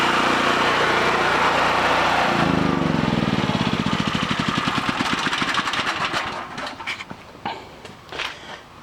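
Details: Homelite 5000 watt generator, bought used with a corroded carburetor; after carburetor, brush assembly and AVR replacement and re-exciting the field, it runs steadily with no misses or knocks, then is shut off and its beats slow to a stop.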